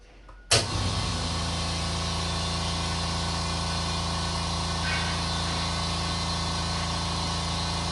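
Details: California Air Tools 8010ALFCAD ultra-quiet oil-free 8-gallon aluminum-tank air compressor, rated 60 dB: motor kicks in and settles to a steady even low hum, no knocks or rattles; running normally.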